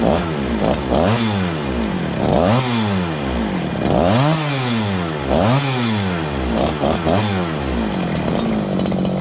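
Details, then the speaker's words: Farmertec 288 kit chainsaw, after an earlier flywheel came off: revs rise and sag every couple of seconds, it won't idle or take throttle even on choke/fast idle. Hunting and bogging; massive air leak suspected. "It was idling, it started racing, going down, racing, going down. Then it wouldn't idle. Then it was all of a sudden pig rich. It's like this thing has a leak."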